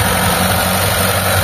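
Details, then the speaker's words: Mitsubishi Lancer "pizza pie" 4G13 or 4G15 carbureted engine, before repair, several carbs already replaced: steady even idle without misses but noticeably too high; vacuum lines later redone. "Mga boss, kung naridinig nyo, sobrang taas nung idle nya. Ilang palit na ng carb mga bossing, pero hindi pa rin tumitino yung andar."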